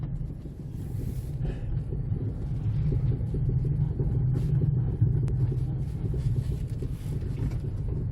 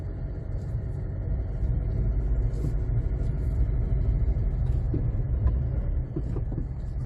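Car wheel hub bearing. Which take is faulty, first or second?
first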